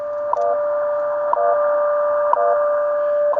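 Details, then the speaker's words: Repaired Ten Tec Omni 6 Plus transceiver, with its cleaned board dried overnight, tuned to the WWV time signal at 10 MHz with an antenna for a test run: clean steady carrier with a tick once a second, receiving normally. "I've got it on WWV time signal at 10 megahertz with the antenna on it for a test run, and I'm going to run it."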